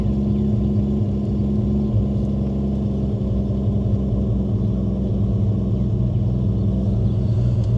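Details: 1989 Toyota Supra, original stock-block 2JZ-GTE with HKS 264 cam, BorgWarner S362sxe turbo, 67% ethanol, just over 100,000 miles: steady deep rumble at settled idle, no hunting, ticking or misfire; running cleanly.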